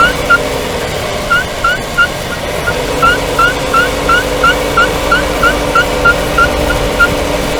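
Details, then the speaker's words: 2020 Renault Duster AWD automatic, 19,000 km, warm, driving without braking, mic on the subframe: sharp high chirp about three times a second with wheel rotation from the left side; caused by the left inner CV joint boot. "Речь идёт о писке, чириканье, называйте как хотите. Раздражающий звук во время движения, особенно без торможения и в прогретом автомобиле."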